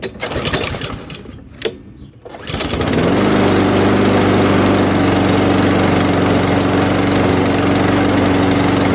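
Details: MTD Pro mower with Honda GCV160 engine after repairs including choke adjustment, reassembled for a final test: after a few pulls it catches and settles into a steady, even run at constant speed, no misses or surging; runs healthy.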